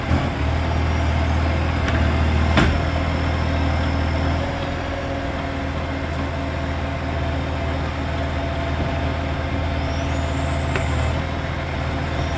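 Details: Loud diesel exhaust leak on a 3520: loud idle with raw rapid puffing, about four beats a second, over the deep rumble.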